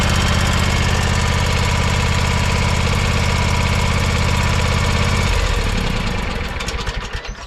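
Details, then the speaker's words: John Deere X570 garden tractor petrol engine idling after oil and filter service: light regular tick on one side over the exhaust beat, then slows and stops; owner suspects valve tick needing valve adjustment. "hear that ticking it's a little valve tick it's only on this side which means we need to believe we're gonna have to do a valve adjustment here before long"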